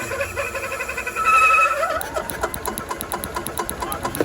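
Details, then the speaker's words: Club Car DS gas golf cart, sat about 10 years, fresh gas and carburetor bowl opened: hand-held buzz then quick, even firing pops as the single-cylinder catches and keeps running; shows the RPM limiter is bad. "Firing up now, so it is firing. All right, so that tells you right there that the RPM limiter is bad."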